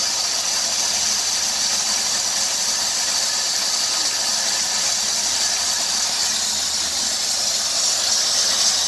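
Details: 2003 Dodge Grand Caravan 3.3 with 372,528 miles: a loud continuous high squeal with hiss over a smooth-running engine, louder near 2000 rpm. It is vacuum-like but silenced by a water spray on the belt. The idler, tensioner pulley and power steering pump are already replaced; the owner suspects the drive belt.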